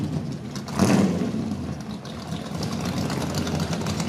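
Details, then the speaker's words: 1937 GMC pickup, rebuilt 283 small-block Chevy with headers, electronic ignition, Edelbrock XC8 manifold with four Holley 94 carbs, 3-speed manual: it catches quickly with a brief rev, then settles into a steady, even idle with no misses or knocks. A normal start. "go ahead and jump in it right now I'm gonna start it you know hear it start and I'm just gonna drive it around the parking lot"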